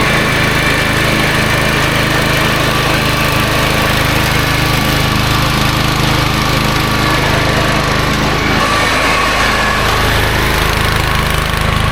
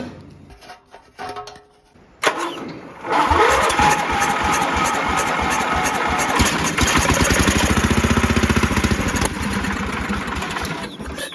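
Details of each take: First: Toro GroundsMaster 52 with a swapped-in used Briggs & Stratton 16hp cast-iron single replacing a blown engine, cutting grass: steady, even drone with only a brief dip mid-pass; running normally under load. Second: Toro Groundsmaster 52 just fitted with a replacement vintage Briggs & Stratton 16 hp cast-iron single: slow cranking, then rough, uneven firing for several seconds; only partly running, weak starter suspected.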